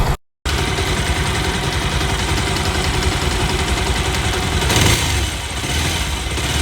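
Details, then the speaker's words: Bajaj Pulsar 220 with a recurring timing chain tick, idling after refitting the tensioner (chain recently replaced): a steady, smooth idle with no ticking; normal idle, noise gone. "आवाज सुनिए आप कोई आवाज नहीं ए रही कितनी कुछ आवाज नहीं ए रही भाई और क्लीयरली सुनता हूं आपको"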